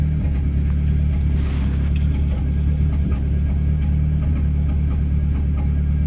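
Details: Dodge SRT-4 driving under slight load: low, lumpy drone with an uneven beat from a misfire you can feel, hear and see; it also logs a catalytic-converter-efficiency code although the car has no cat.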